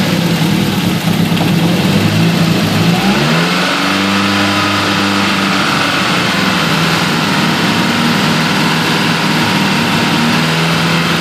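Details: Nissan CA18DET: a shaky, very rough, lumpy idle with a brief rev and a misfire. Unplugging coil two makes no change, yet there is spark and fuel.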